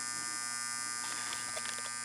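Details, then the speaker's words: Gottlieb 1974 Big Shot pinball machine coil after cleaning and adjusting: constant high-pitched buzz with steady hum beneath; return spring pulls too hard and makes it buzz, spring then extended slightly. "All right, I extended the spring a little bit. You can't tell. I didn't go crazy with it. But it was pulling a little too hard, people."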